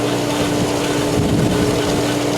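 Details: Polaris booster pump starting with the solar heater line drained so there is air in the line: loud, rough, hissy churning over a steady motor hum as it works trapped air out, cavitation clearing while priming.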